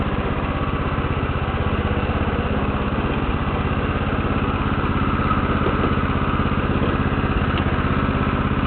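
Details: Lawn tractor started for the second time after sitting about six years: steady, even putter at constant speed with no misses or knocks; owner notes an uneven starter; normal running.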